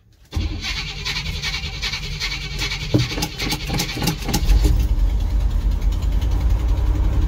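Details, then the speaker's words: 1982 Chevy K30 Squarebody starting: catches quickly with good oil pressure, then runs lumpy and stumbling while cold; owner suspects the choke doesn't work. "Oh, she started. There she is. She's happy. Got all the oil pressure. Oh, oh, oh. She's cold-blooded."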